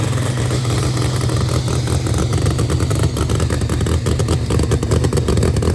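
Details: New Promod race engine, first fire-up after install: loud choppy idle with uneven lope and some mechanical clatter over deep exhaust roar; fresh engine running on its own, normal first start.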